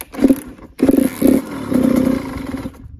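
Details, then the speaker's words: 2007 Suzuki RM85 two-stroke after case split, main bearing replacement and Hinson clutch install; fires in short revving bursts then dies within three seconds, won't idle; owner suspects idle screw adjustment. "that doesn't want to idle for some reason I don't really care I'll fix it up later you should probably just idle screw or something"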